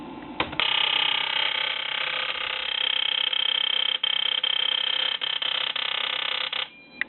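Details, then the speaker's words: Ford 7.3L Powerstroke injector on a flow bench, driven through the stock IDM at 3,900 rpm with 3.06 ms pulse width (3.05 ms ran fine): rapid high injector buzz that drops out and stutters; the IDM refuses to fire the injector. "Notice how that sounded different, as if it was missing, cutting it out, rev limiter, whatever you want to call it."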